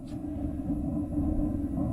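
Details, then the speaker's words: RV water heater burner after closing the gas-air mixture adjuster that was letting in too much air: soft, steady low rumble with no whooping or sputtering, blue flame; quiet, normal burner flame. "hear how quiet that is we still got the blue flame but it's not wolf wolf whooping while air comes in here"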